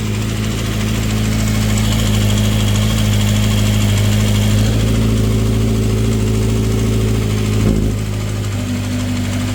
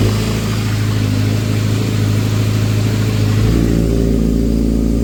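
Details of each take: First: 2012 Kawasaki ZX6R on cold start: light, busy metallic rattle from the side of the engine, a loose timing chain caused by the cam chain tensioner; fades when warm but slightly audible on revs; adjusting the tensioner fixed it. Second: 2012 Kawasaki ZX6R four-cylinder after timing chain tensioner fix (bolts opened one click, then closed): cold-start timing chain rattle gone, engine runs smooth and even.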